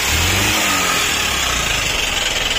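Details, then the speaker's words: Hero CBZ Xtreme motorcycle, ridden about 15 days then failed, no engine oil suspected: harsh rough clatter over a strained note at idle and revs, cutting out; piston likely seized, piston replacement planned. "इधर तो इसका sound सुनिए दोस्तों इसका sound बहुत ही खराब है cut cut कर बैठे"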